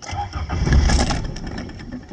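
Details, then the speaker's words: 1981 Toyota Tercel, carbureted, started via jump starter from dead battery: engine cranks briefly, stumbles, then catches into an uneven low idle; owner says it's sometimes hard to start, cause not pinned down. "it's kind of hard to turn on once in a while i mean it's carbureted"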